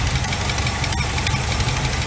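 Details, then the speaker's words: 1986 GMC Sierra 400 small block idling during valve adjustment with valve cover off: quick light ticking keeping pace with engine speed, lifters tapping from rockers backed off too loose before tightening a quarter turn past quiet. "so basically with it running you loosen them up until they start tapping tighten them up till they shut up and then go quarter turn"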